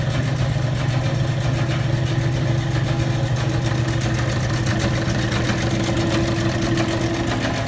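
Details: Old Bennett 541 gas pump motor, running after many years of barn storage: smooth, even hum holding one pitch with a soft regular pulse and no rattles or squeal. Normal running.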